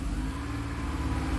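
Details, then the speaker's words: Honda truck with code P0108 (MAP sensor high signal), before repair; it had been running hot with black soot at the muffler: engine revved with a steady mid-pitched drone, while the scanner's MAP reading stays stuck at 52.2 under throttle. "entonces le acelero y no hace nada vamos allá al motor no sé si esté desconectado o algo esté pasando por ahí"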